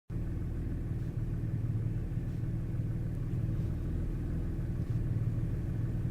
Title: Misfires